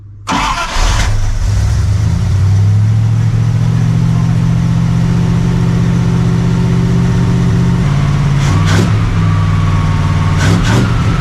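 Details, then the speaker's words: 1982 Dodge Ramcharger W150 V8 catches and settles into a steady, deep fast idle on choke while warming up, with no growl from the steering. "But I don't hear any of that growling."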